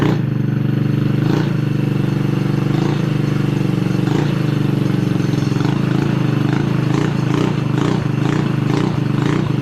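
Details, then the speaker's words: Killer Bee scooter, revived after over a year in storage, buzzing at a steady fast idle with even firing and some light body clatter. Normal running. "All right, that's enough. We got the Killer Bee running."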